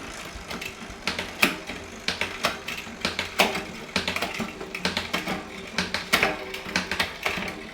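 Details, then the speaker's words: Shimano Deore M6100 12-speed drivetrain with 10-51t cassette on Trifox bike, after adding B-tension: quick freewheel ticking with crisp evenly spaced shift clicks, no grinding or skipping; shifting smooth and dialed in. "So now all the shifting is nice and smooth as it goes through."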